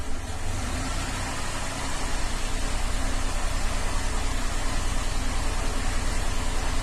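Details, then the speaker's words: 2007 Cadillac STS 3.6 V6 idling rough, misfiring on all bank 2 cylinders (P0300, P0302, P0304, P0306) plus P0017/P0019 exhaust cam correlation codes; owner unsure if cam timing or plugged exhaust, cam control test reports oil pressure out of range. "And it's idling right now, but it's running rough and misfiring on that whole bank."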